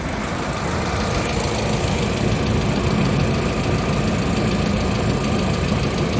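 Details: 1999 VW Passat 1.8T petrol estate after re-soldering the main relay: steady, even idle holding without stumbling, low rumble, nothing irregular; no-start fixed.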